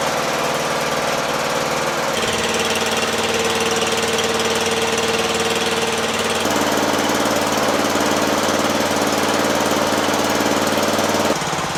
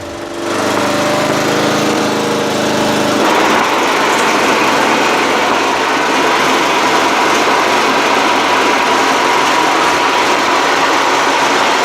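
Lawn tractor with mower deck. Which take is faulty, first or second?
second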